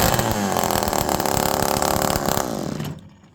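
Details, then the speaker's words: Homelite Super Mini chainsaw, restarted after cooling off: it screams at high revs with an uneven burble, then drops away, running really rich. Owner doubts an air leak and suspects the missing exhaust causes the richness. "Now it's starting to get really rich. So again, maybe we don't have an air leak. Maybe it's because there's no exhaust on there."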